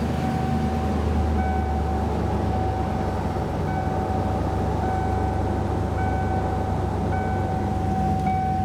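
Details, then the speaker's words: 1994 Ford E150 Econoline V8 idling after a new accessory belt and a repaired leaking heater hose connection: a steady, even rumble with no belt squeal or chirp. Coolant leaking onto the belt had caused the squeal. "so that took care of our coolant leak we also took care of our squealing noise on the belt it really didn't need anything else"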